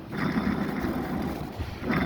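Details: Mercedes W212 facelift / BMW F30 EPS steering rack bearing spinning with a rough, uneven low growl; worn bearing damaged by water getting inside, compared with a silent new one.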